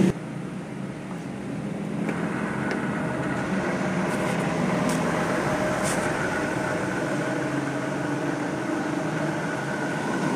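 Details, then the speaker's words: Window aircon fan motor before repair, which the owner reports as noisy: steady whirring hum with a rough, gritty edge and faint whine. The bearing is worn and the shaft rusty; the bearing is to be replaced. "napansin niyo ba mga kaibigan, maingay siya So ayan ang may-ari na maingay yung kanyang fan motor kaya papa-repair niya"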